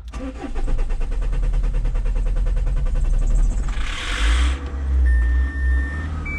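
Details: Renault Espace 3 2.2 dCi with 12 L of oil in the engine and confirmed head gasket failure: short crank, then fast clattery uneven diesel beat before a hiss; runs unhappily.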